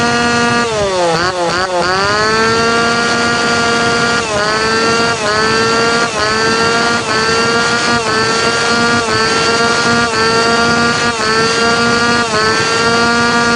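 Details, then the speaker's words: Tanaka PowerMate PMS340 two-stroke pruning saw, warm, after fuel delivery system repair and final tune-up; crisp buzz climbing cleanly to high revs and holding steady without stumbling; now correct, ready to hand back. "มันต้องแบบนี้ครับเสร็จแล้วส่งมอบได้"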